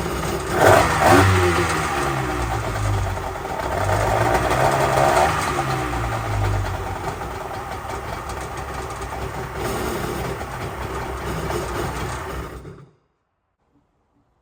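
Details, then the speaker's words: Polaris SL750 jet ski engine, first run after priming the fuel bowl: fires quickly, revs up and settles into an even, crisp run with no misses or knocks before shutting off; normal running. "thing sounds insane compared to those two cylinder Yamahas like holy crap this sounds good"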